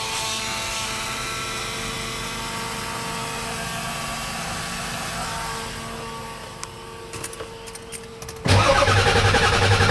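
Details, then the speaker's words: Ford PowerStroke diesel truck, unrun about two weeks, starting after a fuel pump replacement: the pump hum runs on, then the engine catches and settles into a strong, even diesel clatter. The gauge shows fuel pressure and there are no leaks. Normal start. "Definitely sounds a lot different. And there goes pressure. At least it sounds like it."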